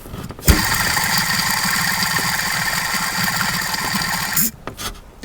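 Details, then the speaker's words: 2006 Mercedes SLK55 AMG, engine running, microphone down at the top side of the belt-drive idler pulley: hissy, raspy whir with rough fluttering chirp from a failing idler bearing, before installing a new serpentine belt and tensioner. "This idler pulley, that's the top side of it. This is uh talked about there was some chirping noise."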